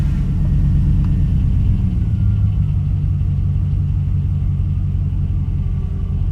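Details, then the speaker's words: 2000 Dodge Dakota 4.7 after replacing the camshaft position sensor; the night before it cranked but wouldn't start. It now runs a low, steady idle with an even beat and no ticks, misses or hunting; the fix appears to work. "Alright, all the gauges look good. Seems to have fixed the problem. Like I said, last night it wouldn't start."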